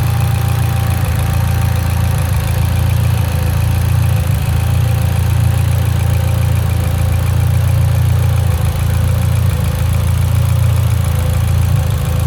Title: Evo x lean idle misfire